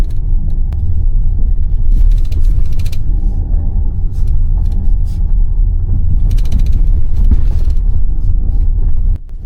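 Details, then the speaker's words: Jeep Grand Cherokee with an interior rattle over bumps for half a year, worst at the right rear wheel, microphone turned toward the rear seat: dull thumps, then dense, louder, brittle clattering bursts clearly from under the rear seat. "明显是后排座椅下面的声音，而且比咱们在前排听到的还要密集，声音还大。"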